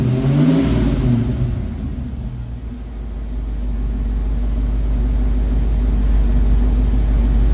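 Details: 1972 Ford Mach 1 V8 with stock cam, restored, about 200 km driven, coolant just topped up; blips up and drops back to deep steady idle, no knocks or ticks, docile but runs nice.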